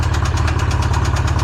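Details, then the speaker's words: Polaris RZR freshly built engine that had locked up (rod bearings suspected seized), freed and run on Lucas oil, warm: uneven idle with a deep steady knock each revolution that never settles; worn rod bearing, bottom end finished. "It's already knocking. There's something wrong. It's like putting a band-aid on it."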